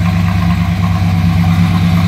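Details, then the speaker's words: 1939 Plymouth two-door sedan street rod, heard from the rear; deep even exhaust burble at idle, steady and mild with no misses or popping; normal street rod exhaust. "Slip around to the back, hear that rumble. Nothing too crazy, but you'd expect a little something out of a street rod."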